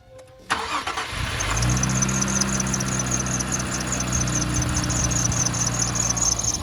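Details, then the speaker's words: Infiniti Q50 Red Sport 400, sat about two years, warm start, stock exhaust with downpipes. Engine catches and settles into a steady idle with a faint high chirp over it: an accessory belt squeaking slightly. "Yeah, the bell is just squeaking a little bit."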